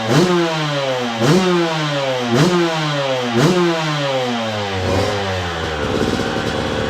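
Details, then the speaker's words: 2002 Yamaha YZ125 two-stroke that sat a long time, first run after cleanup with choke on: crisp blips about once a second climb and drop cleanly, no knocking or clatter; crank sounds good, healthy. "Crank sounds good. There's no knocking or clattering, which I honestly didn't think there was any problem at all with the crank after, you know, looking at it, cleaning it up."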